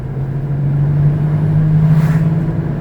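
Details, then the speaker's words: Left wheel bearing on a quarter-million-mile Ford Escape: a steady low roar under the car, silent at 20 mph, starting about 25 mph and growing louder as speed increases; bad wheel bearing. "that loud roaring noise and it's getting progressively louder as I'm speeding up"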